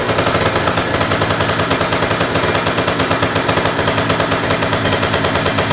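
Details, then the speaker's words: Honda Dio two-stroke scooter with Malossi cylinder block, 44 mm stroke, 90 mm con rod, Taiwan TWA crank, revved hard: rapid sharp crackling bursts with a clattery edge, engine unusually loud; owner thinks single-ring piston makes it noisier. "Gila, gokil banget. Agak berisik kan suaranya di mesin."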